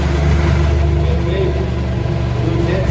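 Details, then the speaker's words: BMW F800GS parallel twin started after replacing its 4-year-old battery with a new 200 CCA unit on a cold day: strong, even low thrum settling into a steady idle; sounds healthy. "Hai să pornim motocicleta. Ascultă zgomotul. Uite cât de mult e mai bună."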